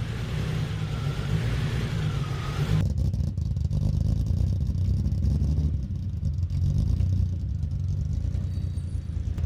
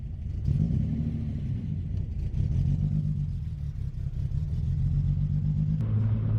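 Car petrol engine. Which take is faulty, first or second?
second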